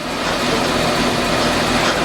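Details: 2012 Nissan Grand Livina automatic, jacked up with the front wheel spinning in gear. Constant coarse roar and hum with no rhythm, and vibration felt at the suspension: a worn front wheel bearing, never removed in about ten years.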